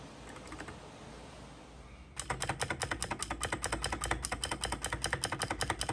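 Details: Keychron K6 keyboard typing after cutting two bottom parts of stabilizer stamps to remove factory rattle (pre-lubed, lube not yet applied): crisp even clacks, no buzz on long keys — no stabilizer rattle.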